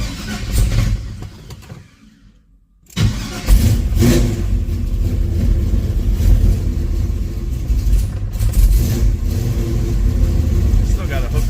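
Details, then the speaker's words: 1974 Z28 with 400 V8 and original Turbo 400 transmission, cold start without choke: brief pause, then catches cleanly and settles into a steady, firm cold idle with a few light revs; normal cold start. "All right. Let's do a cold start on here and hear how this thing sounds. No choke."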